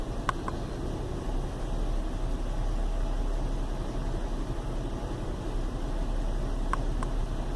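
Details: Chevy Venture warmed up about four to five minutes on a cool day, no check-engine light: low, uneven rumble at idle with no clear misfire beat; rough idle caused by a failed hydraulic motor mount, with no thunk when shifted into gear.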